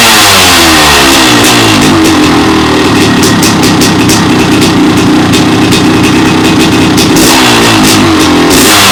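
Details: 1998 Honda CR500AF (ex-factory CR250 converted to CR500 two-stroke), started off the stand, tried without choke: crisp crackle climbs cleanly through repeated blips and drops back to a steady idle; runs healthy.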